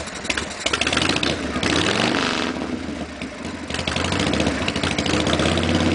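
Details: 1952 Harley Pan-Shovel, first start after the motor rebuild, fed from half a 3.5 gallon fat bob tank: catches, fires, blips a few times, then settles into a loping V-twin beat with no knocks or rattles; healthy.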